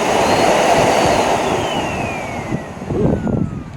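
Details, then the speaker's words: Hoover NanoLite vacuum, dirty curb find, after a suspected clog or obstruction was checked: steady high motor whine with even airflow rush that spins down; motor runs normally. "sounds better right Nick of course that's dirty you know motor sounds relatively speaking okay"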